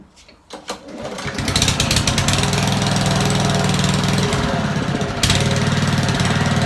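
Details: Old Honda lawn mower idling unevenly, hunting, sagging then picking up and cutting out intermittently; dirt in the carburettor idle jet and float chamber; stalls leaner with air filter removed.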